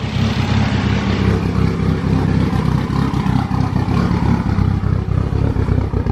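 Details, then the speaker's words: Freshly built Mitsubishi Evo 5 4-cylinder on first start, AMSOIL high-zinc break-in oil: deep, even idle with slight lumpy cam chop, no knocks or ticks on top; called the quietest 4-cylinder, like new. "This thing is like the quietest 4-cylinder I've ever heard. It's like it's a new engine or something."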